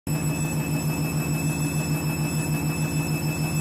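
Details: Candy washing machine on spin with new clothes: heavy low drone pulsing about three times a second plus faint high-pitched whines, a strange noise.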